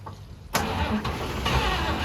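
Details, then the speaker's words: 1953 Chevy 3100 pickup, 235 inline-six unrun for over 40 years, weak battery: starter cranks with brief stumbling catches that nearly take, but it won't start; starter fluid needed. "It's wanting to fire up. It almost did. We gotta leave the starter fluid."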